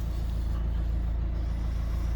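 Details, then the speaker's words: Ford Focus after instrument cluster removal, resoldering and refit: battery reconnected, engine starts and runs with a smooth steady low hum, no tapping, misfire or rattle; tachometer working. "Let's see if it starts. Oh yeah, nice one. Then the RPMs are working, and we can give it power."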